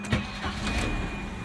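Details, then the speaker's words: Volvo 940 after inline fuel pump replacement, key on: steady electric hum with thin high whine at even pitch; fuel pump running normally, though car later dies after seconds, suspected fuel leak. "so here now you can hear the pumps actually go oh"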